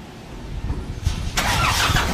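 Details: Nissan NV350 diesel just fitted with a new 3SM battery: brief brisk cranking that catches almost at once and settles into a steady run; a clean, healthy start.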